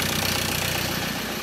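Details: 2013 Ford Ranger 2.2 TDCi, first start of newly fitted recon engine after priming oil pressure with injectors unplugged: diesel idle with light quick tapping expected to fade as oil reaches the top end; healthy.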